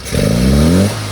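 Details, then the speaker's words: Engine on an on-road carburettor tuning session, nearly rich at steady throttle: a short rev blip rises, flattens and drops off without pulling cleanly; it goes very lean as the throttle opens, so the damper oil needs adjusting. "you can hear it's going very lean, so we need to adjust the oil in the damper."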